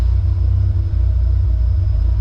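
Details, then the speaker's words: Nissan 240SX with CA18DET after a head rebuild, now idling at a good rpm: low, uneven lope with irregular pulses in the firing beat. Owner believes something is wrong rather than the cams; possibly fuelling, cause unconfirmed. "i wish that my car could sound like this and there not be something wrong but i definitely think that there's something wrong making it sound like that"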